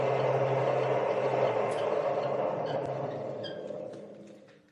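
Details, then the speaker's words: Schaublin 102-80 lathe on its first test run after being moved into the workshop: spindle runs smooth at 450 rpm, then 1800 rpm, then back to 450, with an even low hum, no knocks or rumble, and fairly quiet; normal spindle running. "nice that's really smooth so she's running after 450 revolutions per minute let's see what she sounds like in 1800 nice [Applause] she's actually not that loud back down to 450"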